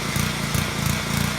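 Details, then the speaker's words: Small engine (lawnmower/pressure washer type) speeding up and slowing down in quick waves, surging or hunting at idle; pilot jet in the carburetor clogged with varnish or debris, fixed by clearing it. "If your lawnmower or pressure washer sounds like this, you have a surging engine."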